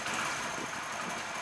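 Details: Hero Splendor Plus motorcycle engine idling with a fast, dry metallic "kit-kit" clatter from a noisy timing chain, before repair; fixed by replacing the full timing chain kit.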